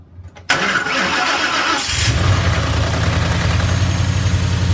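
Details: Mustang GT V8 after a bearing replacement to cure its knocking, with the oil pan and pickup cleaned; it cranks, catches and settles into a steady, deep idle with no knock; the motor sounds good, though the radiator leaks water.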